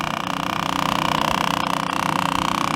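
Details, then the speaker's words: Honda CB1300 fuel pump used to drain the tank before removal, with air bubbles showing: a steady mid-pitched whine pulsing about four times a second, strained and uneven, because the pump is running a little dry near empty. "you hear the noise the pump is making because it's running a little bit dry"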